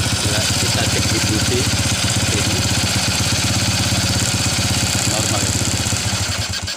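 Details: Early-generation Honda Revo carburetted single-cylinder motorcycle, hard to start and dies on throttle: choppy, uneven idle that sags and dies; ignition coil spark checked normal, spark plug black and dry; cause was a clogged carburetor jet.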